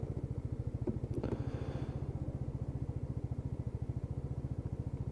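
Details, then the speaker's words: Lexmoto Titan at 4,166 on the clock on test ride after fuel-system repair for cutting out at idle and holding back on acceleration: even, steady single-cylinder idle around 1500–1700 rpm, no misses or knocks; idle now healthy. "it's still exactly the same as it was last time idling lovely sitting around 1500 1700 rpms"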